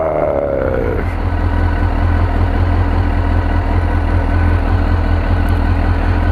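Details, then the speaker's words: 2002 Suzuki GSX-R 1000 first start after yearly maintenance (tank cleaned, pump cleaned, new air filter and plugs), at about 70 degrees: revs drop from start flare to steady even low idle, no misses or knocks; normal idle. "see what they'd say purring like a kitten"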